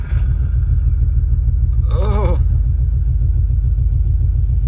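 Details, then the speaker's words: Subaru Forester on a new tune map, started with data logging running; deep choppy loping rumble at idle, surging like a big cam; rough idle, cause not pinned down. "God it's like I have a cam this is very strange the whole car map in return"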